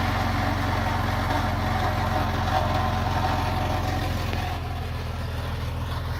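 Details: 2000 Jeep Cherokee XJ 4.0L straight-six at idle with original exhaust before MBRP replacement: low drone with loose, buzzy rattle; exhaust muffler rattle.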